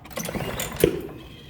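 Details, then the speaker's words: Walk-behind push mower that won't start, with spark plug confirmed firing and a squirt of starting fluid: pull-start rattle, then a single sharp pop as the engine fires once but fails to run; needs repair. "popping a little bit now. So, it's trying to do something."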